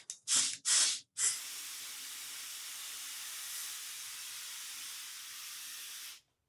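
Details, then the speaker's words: 1977 AMC Matador fuel line blown back toward the tank after the engine stopped drawing fuel and acted out of gas despite three gallons added: sniffs, then a steady hiss of straight air with no bubbling. A broken pickup is suspected, not confirmed. "it's definitely coming out the other side. That's really weird. You could even see the the gas vapors. [snorts] So, sounds like straight air."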